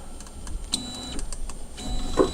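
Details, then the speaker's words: Tevo Tornado 3D printer during bed levelling, moving the Y axis 10 mm: soft stepper whirs with a faint dry scrape as the nozzle, set too low, rubs on the bed, which is then lowered. "je peux aussi vous entendez ça frotte un peu alors quand je vois que ça fait ça je descends immédiatement mon bled pour pas que sa frappe trop"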